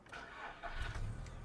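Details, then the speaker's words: 2007 Volkswagen Golf Plus 1.6 MPI petrol, 212,000 km, manual: engine fires almost instantly and settles into a smooth, quiet, even idle, no smoke, no misfire; a normal, healthy start. "заводиться з півтику працює тихо рівно не димить не троїть"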